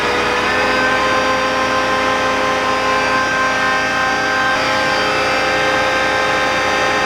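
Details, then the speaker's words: John Deere Green F12 090 hydraulic motor on bench after teardown and reassembly, no load, about 2300 rpm, run longer to reproduce customer's squeal: steady smooth even tone, no squeal or grinding; problem likely elsewhere in customer's system. "And last time we went up to 2300 RPM. Oh, the same. We don't hear the noise."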